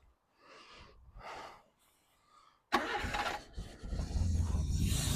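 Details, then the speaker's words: 42,000-mile Nissan Sunny parked since 2005: a few quiet cranking bursts, then it catches into a rough low idle once fuel is poured into the carburettor. Owner suspects a stuck float; the tank line was later found gunged up. "so I've pulled some more fuel than it's carburetor"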